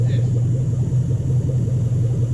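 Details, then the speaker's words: 2007 Toyota Hilux Vigo 4x4 with swapped 3UZ Toyota V8, manual, just running after ECU sensor wiring fix: deep, even V8 burble at idle, steady and smooth with no misfire or knock; engine sounds healthy and running properly. "so totally set right hand side running properly now that sounds good sounds lovely"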